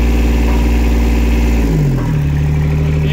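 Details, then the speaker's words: Yanmar YB121U mini excavator, water-cooled three-cylinder diesel, 2796 hours, exhaust outlet low down; runs very smooth and even, steady beat settling to lower speed with no knocks or misfires, normal running. "работает он очень ровно и очень четко"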